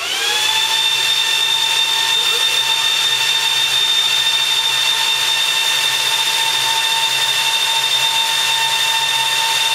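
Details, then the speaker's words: Supermicro X9DRH server in X-Case RM 200 Pro, 80 mm temperature-controlled fans: loud high-pitched whine climbs then holds flat, fans at full speed as the processor heats, later calming down; normal ramp-up. "house and slowly you'll start to hear the fans calm back down again when everything's good"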